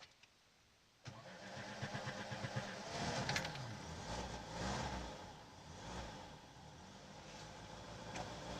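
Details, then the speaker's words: Lada VAZ-2106 carburettor on petrol after float needle repair and slightly lowered fuel level, air filter housing off: starter turns briefly, engine catches and settles into a steady idle that now responds to the choke. "Подсос, в принципе, уже слушается. Не знаю, видно или нет обороты. На подсос, в принципе, реагирует."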